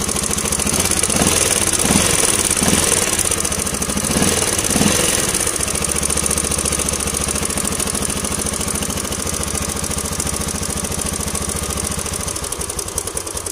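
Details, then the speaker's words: Yamaha LC135 single-cylinder at idle with blips; fast metallic chatter over the beat, loud and clear; mechanic believes the timing chain has gone slack, timing chain rattle. "Ini kemungkinan besar joknya rantai ataupun temen sudah kendur ya saja punya bunyi memang sangat kentara dan memang bunyinya memang terdengar ah ibaratkan macam rantai itu sudah kendur ya"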